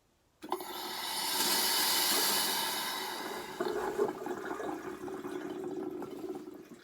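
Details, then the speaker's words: Truma Ultrastore water heater after replacing the electric heater element, refilling with drain valves and taps shut: steady rushing hiss with sputtering spurts as trapped air is let out of the hot water tank; normal air purging. "You can hear it filling up. I'll let the air out this hot water system."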